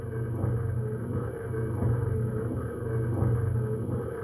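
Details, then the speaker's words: Hemi Duster Mopar A-body wiper motor driving the newly installed wiper transmission: low steady hum with slow even linkage sweep, no knocks or grinding; wiper motor sounds good, normal operation. "Okay. Well, we can't put our wipers on yet. Not for a long time. But at least we got her that far now. Wiper motor sounds good, too."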